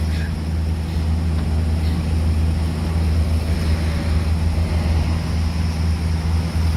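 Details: 1982 Chevy Silverado, first start in years after sitting, automatic four-speed with lock-up torque converter: deep, steady low V8 rumble with an even beat and no knocking, ticking or misfire; running smoothly, normal running.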